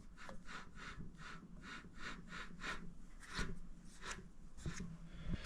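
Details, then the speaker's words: Vevor MX400 8x16 mini lathe spindle turned by hand: a dry, gritty rasp pulsing about three times a second from a worn headstock spindle bearing. "I mean it it spins but it's you can hear the bearing too it's definitely this"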